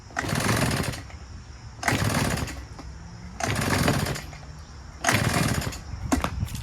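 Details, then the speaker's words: Husqvarna 150BT two-stroke backpack leaf blower with two-stroke oil poured into the spark plug hole: engine catches in one-second bursts, then dies; runs only until the oil burns off, low compression, piston rings and bore suspected damaged. "oh so it'll only start and run for that little bit if you pour two-stroke oil into the gas into the spark bu hole the minute it ran that it burns off all that two-stroke oil for that period of time that it runs for"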